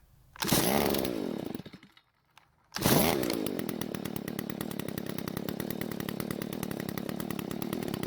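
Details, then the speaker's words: Garage-sale Stihl two-stroke trimmer won't rev: idle screw turned clockwise to raise speed, engine sags and dies, then restarts to a ragged uneven idle after L screw is turned counterclockwise to its stop; lean low-speed mixture suspected. "Now, before making the adjustments to the L screw, I wanted to turn the idle screw clockwise a bit to raise the engine speed. The engine died, but I'm still going to turn the L screw counterclockwise till it hits the stop."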